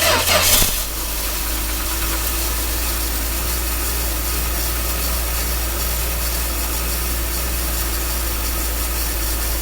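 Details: 1966 Dodge A100 van, 225 slant six, cold start after a long sit, running after points adjustment on the jumper wire: brief catch, then a steady, smooth low idle with no knocks or misses. Normal idle; accelerator pump plunger suspected worn.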